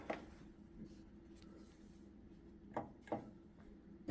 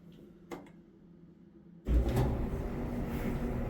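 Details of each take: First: Samsung front-loading dryer: steady low hum with harsh rasping grind pulsing about three times a second as the drum turns, no excess vibration; owner suspected idler wheel or drum wheel bearings. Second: Samsung dryer after tub wheel replacement, original belt and idler pulley kept: starts and settles into a steady low tumbling rumble with no squeal, thump or scrape, no louder than before; repair successful, running normally.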